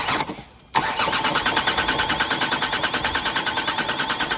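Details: Diesel engine, battery charged five hours, while bleeding fuel at an injector: starter churns steadily at about three beats a second and it never fires; cranks but won't start, dash shows engine malfunction, air in fuel suspected.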